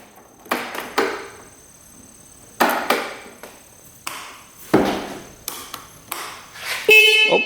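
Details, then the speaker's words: Free non-running scooter that sat in a garage a couple of years, key on after both fuses checked good, engine not running: scattered clicks and handling knocks, then a short bright beep; horn works, though nothing lights up. "horn works. Nothing's lighting up though."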